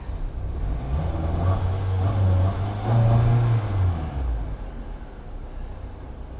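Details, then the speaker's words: 2007 Pontiac Vibe just after a fuel pump assembly replacement (it sometimes would not start): low, even engine hum after start, no stumbles or misses, pump audible, no leaks; normal running. "there she's going let run there for a second I can hear the pump running that's always good no leaks we're all good to go"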